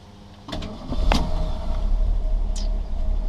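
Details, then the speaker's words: 1978 Ford Mustang II, original 2.8L V6 with 4-speed manual and 91,203 original miles, started very cold: a short crank, catching within a second, then a steady low idle. It is a normal clean cold start. "Starts right up. She's very cold, like I said. No problems with quick rev."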